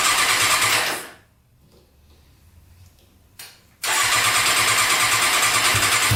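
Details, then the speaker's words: Custom Yamaha Banshee quad with swapped Suzuki Katana 600cc engine, Stage 4 jet kit just fitted, cold start: engine fires, revs, cuts out, restarts into high buzzy rev that won't settle; owner suspects sticking throttle, fix by removing carburetors and adjusting throttle. "the throttle might be stuck i think the throttle is getting stuck we have to take off the carburetors and twist that throttle in a little bit more"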